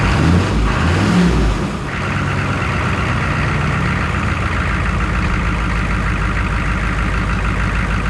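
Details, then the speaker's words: 1969 Chevrolet C10 hard start with AC on: laboured, uneven cranking struggling for a couple of seconds before catching and settling to a steady idle; started once AC was switched off. Owner suspects bad wiring not giving enough current, unconfirmed. "So the AC was on and he saw how like it was like trying to start but it was like wasn't really getting it. I hit I turned it off and it cranked up."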